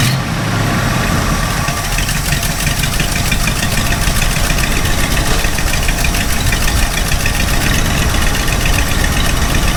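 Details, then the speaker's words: Ford F250 460 V8 on new Holley Street Avenger 670 CFM carburetor: lumpy, uneven, wandering rough idle; adjusting the idle speed screw gives no middle ground, either revving too high or too low and shaking; fine under throttle. "the problem is when you're sitting at an idle it's just so rough and you know I've tried adjusting the idle speed screw and there's no middle ground for this it's either revving too high or it's revving too low and just shak"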